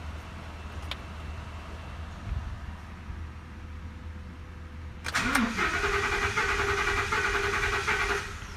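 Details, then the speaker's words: 2014 Ford F-250 Super Duty 6.2 V8, cranking in clear-flood mode with throttle floored; uneven cranking rhythm with one weak beat per turn, then rough idle, indicating a low-compression cylinder from a broken exhaust valve spring. "all right so to me it definitely sounds like we have a cylinder with low compression first thing I want to do is try to identify what cylinder we might have low compression on"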